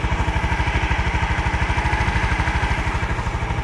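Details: Honda Scoopy FI that stalls on rough roads: quick, even single-cylinder putter with a steady low thump and no misses. Normal idle.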